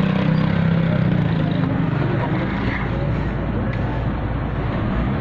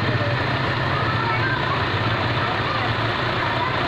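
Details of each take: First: Suzuki Liana M13 after the ignition-coil misfire and rpm-fluctuation repair, AC on: low, even idle hum with no rpm drop, stumbles or missing over several seconds; the engine idles smoothly and steadily. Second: Suzuki Liana M13 idling under full load with AC and headlights on, before repair: steady low drone with an uneven, stumbling beat and jerks as one cylinder drops out, attributed to a failing ignition coil; rpm fluctuates.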